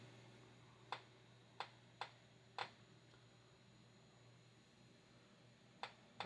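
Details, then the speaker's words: Victoreen CD V-700M 1962 civil defense Geiger counter with OCD-P-108 probe, modified with an RCA connector and small Radio Shack amplifier speaker: sharp irregular single clicks about one per second over a low hum, a normal gamma background radiation count. "now that's normal gamma ray background radiation right now. It goes through this probe regardless of what it's made of, short of being lead"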